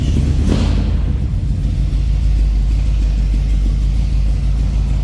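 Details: 1969 Chevrolet El Camino SS tribute V8 with headers, 4-barrel carb, Edelbrock Performer 2.0 intake and dual exhaust, freshly started and warming up: deep, loud, lumpy rumble at steady idle, no knocks or ticks; healthy.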